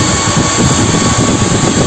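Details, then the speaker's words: Homemade waste-oil stove built from a 100-litre gas cylinder, running with forced-air fan blower at near maximum. A steady, even roar of fan and flame with no pulsing or sputter; clean blue flame with no soot or smell. "ზეთის ორთქლს. აქ ცისფერი იწვის. სასიამოვნოა, არ არის ჭვარტლი, არ იწვის და არ აქვს სუნი"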